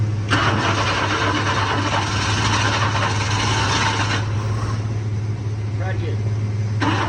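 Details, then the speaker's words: Wrecked 1992 Chevy S10 with TBI 4.3 and 700R4, fuel pump not kicking on with the key, fed a little fuel poured in by hand: the engine catches and runs briefly, rough with a low uneven rumble, then dies; tank fuel supply suspected, not confirmed. "That's alright. She tried. It ran. It did. It ran."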